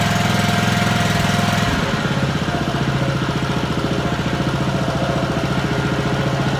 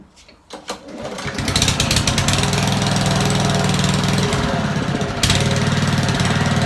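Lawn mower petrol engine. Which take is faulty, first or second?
second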